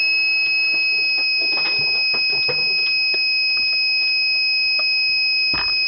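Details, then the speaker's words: Small solar-battery inverter, which the owner suspected was too small, beeps continuously in a steady high pitch when a fridge is plugged in. It shows an error even on the second inverter with nothing plugged in, an inverter overload alarm. "Well, now my inverter is playing mad. This is the one I was just hooked up for the fridge, and this is the one I had hooked up that's nothing's plugged into, and I'm getting an error."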